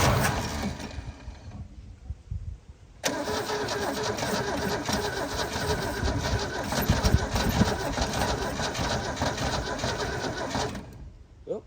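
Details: Holden HQ one-tonner off the road 29 years, starter solenoid contacts cleaned, stale fuel still in the system: cranks, dies briefly, then runs lumpy and uneven. Rough first start; owner suspects the carb needs cleaning or replacing.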